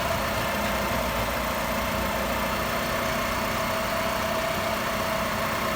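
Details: 2004 Chrysler Sebring 2.0 after crank-no-start diagnosis, where the new cam sensor was shorting the 5-volt reference to ground and was bypassed with a test light: steady, even idle, smooth hum, faint constant tone, no stumbles; engine running properly.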